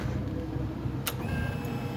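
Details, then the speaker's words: Motorcycle that previously wouldn't start and made a strange pump noise, after a battery replacement (rectifier was not the fault): steady low hum, single click, then faint even whine; normal fuel pump priming, and it starts first try. "Um barulho comum de bomba mesmo, normal agora."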